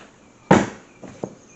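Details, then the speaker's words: 2005 C6 Corvette driver-side window closing after both regulators were replaced: one sharp thump at full close, then two light ticks. The glass hits a little hard at the top stop; owner unsure whether it's a problem, and the index looks good. "it does seem to hit a little hard at the top When I close it I don't know if you can hear it or not"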